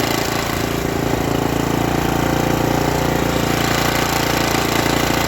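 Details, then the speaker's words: Revived Briggs & Stratton tiller single (owner thinks 5 hp), once flooded and seized in a junkyard, after a stuck valve was freed. It holds a steady, even putter at constant speed with no hunting and runs well. Owner may still tweak the governor. "Didn't take much work to get going, and works well. Sounds good."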